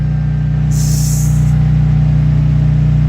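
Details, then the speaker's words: 13-year-old Craftsman 5600/8600 W generator, 10 hp Briggs engine, still running after 11.5 hours on a 5-gallon tank at about 1/3 load, fuel gauge empty, heard through a wall; steady low thrum, no surging or knocking, normal. "It's at 11 and a half hours on about a 1/3 load. And as you can probably hear, it is still running. It's amazing."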